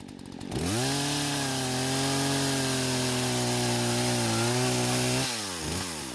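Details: Husqvarna chainsaw that wouldn't start, after the carb screws were reset: revs cleanly and holds a steady high scream while cutting, pitch sagging slightly under load; working properly.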